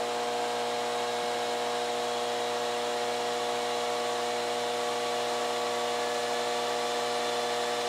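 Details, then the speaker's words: 1986 Carver PM-350 power amplifier after fitting a 12 V fan controller and ducting for cooling: steady whir with a constant tone and even airflow as the fan ramps up, no rattle or scraping; cooling fan running fast and healthy. "okay fans's wrapping up can you hear the fan coming up"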